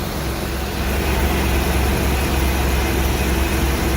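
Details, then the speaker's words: 1994 Ford E-350 V8 after exhaust manifold reinstall with a milled face and replacement of worn old spark plugs: a steady, even low rumble with no ticking or puffing. It idles smoothly and the exhaust is sealed. "running very smoothly too i guess those old spark plugs were done"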